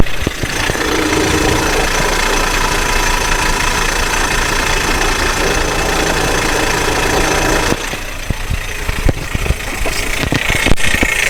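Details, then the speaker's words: Listening close to the starter with a hose-mounted microphone; harsh rough scraping over the idle, the starter drive rubbing on the flywheel ring gear. "sí si notaron el ruido se escucha en la marcha o cerca de la marcha"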